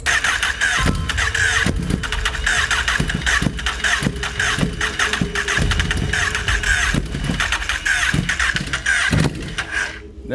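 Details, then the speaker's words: 2008 Honda CBR1000RR streetfighter at first start after an engine rebuild, with new exhaust and fluids filled: a rough idle with irregular sharp knocks and metallic rattling over the exhaust note. Something is loose or knocking inside the engine; cause unknown. "something's definitely wrong in there me it does them on idle it does want to accept throttle and it's nokinaki i'm very not happy right now"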